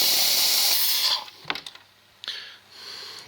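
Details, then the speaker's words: 2004 early-build 6.0 Powerstroke diesel, hot no-start with no ICP pressure; oil rail air-charged with valve covers off, sharp steady hiss of air blowing out front of the rail at an injector inlet, O-ring suspected blown, injector replacement needed. "I've taken the fitting out and put an air fitting into it so I could air charge it and what I found was I'm blowing the oil right out at the front of this log"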